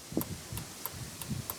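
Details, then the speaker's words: 2nd-generation Dodge Ram, ignition on, after replacing the original flasher relay: crisp steady relay ticks about three per second as hazard flashers run; flasher cycling normally, turn signals now working, old relay was bad. "Flashers work, but they already worked before. You kind of hear it clicking."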